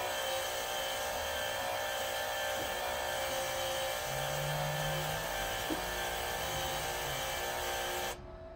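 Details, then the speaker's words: MIG welder first-time setup on 110 V with a 10-gauge drop cord, set at 195, tip and nozzle removed; after a slow start, a smooth, constant-pitch whir holds steady until the trigger is released; normal wire feed. "it's got a slow start on it but you hear that and now it's running it's feeding it through"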